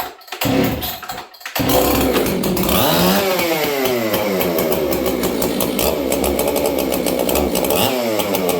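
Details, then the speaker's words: Husqvarna 266XP chainsaw on a cold winter day: fires up, revs, then hangs at a high, slightly wandering idle with a thin, crisp note. Slightly lean on the low-speed jet. "it starts and runs good it's a little lean on the low jet today but it is what it is"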